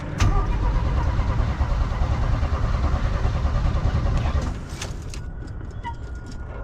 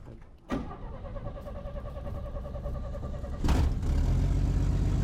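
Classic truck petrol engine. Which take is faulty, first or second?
first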